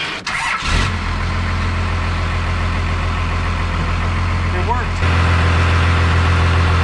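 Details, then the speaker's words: 1989 Dodge Ram LE D250 2WD, 12-valve Cummins with VE pump, sat 15+ years: starts and settles into steady low idle with no power steering whine or groan after bleeding air from the system; no new pump needed. "longest time I didn't need a new pump I just need to bleed the air out of the system"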